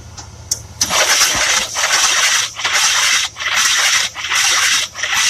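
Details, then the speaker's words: 1966 Buick Riviera GS 425 Nailhead, spark plugs pulled, after a starter rebuild and with HEI spark verified: sluggish cranking with a loud whoosh dipping about every 0.8 s as Seafoam sprays out; it turns over too slowly and doesn't fire. "so i'm having a problem i'm not getting a fast enough turnover when i'm starting the car"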